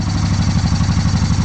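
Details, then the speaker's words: Honda PC800 Pacific Coast V-twin that sat about 10 years, first start after carburetor cleaning, very cold day with choke on: steady, even low thump with no misses; normal cold idle. "as you can hear, it's running pretty good. Super cold out today, so the choke is on."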